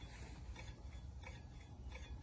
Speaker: and you can hear that probably it's pretty loud and we got rubbing